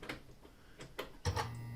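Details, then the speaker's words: Peugeot 207 CC GT 1.6 THP turbo petrol, key turned to pre-start to pump out stale fuel: a few light clicks, then steady low electric buzz under a second; fuel pump priming normally, plenty of fuel delivered. "so as you can see quite a bit of fuel actually comes out just when you turn the key to the pre-start position"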